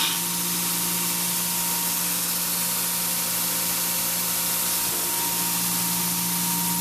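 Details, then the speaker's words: New belt grinder at maximum speed, leaned on gently by hand; pretty much no vibration but a bit noisier than a normal grinder because it runs faster; even high-speed belt hiss over a steady motor hum, no wobble or thumping. "pretty much no vibration, although this does make a bit more noise than a normal one does, because as I say, it's going a lot faster."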